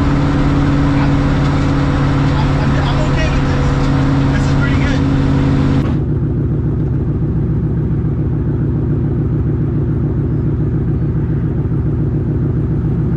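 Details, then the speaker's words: Ford Mustang with Coyote V8 after new exhaust and Y-pipe install fixing a months-long rattle (traced to a fender bolt): low even drone at steady interstate cruise, 65-70 mph around 2,000 rpm, in-car; mild hum, no rattle, drone not bothersome, healthy. "I'm an absolute love with the sound of the new exhaust on the Mustang one there's no rattles two the Mufflers sound great and it sounds incredible when you're cruising and it's low where you want it there's no drone"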